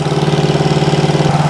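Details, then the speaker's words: 1974 Honda CB360 twin built from parts bikes, first run, smoking from oil and gas, both cylinders hot: sharp, even snapping pulses about fifteen per second over a rough idle. Ticking at idle from a suspected exhaust leak. "already sounds like she's snapping up here let uh oh yeah oh yeah we got a big exhaust week"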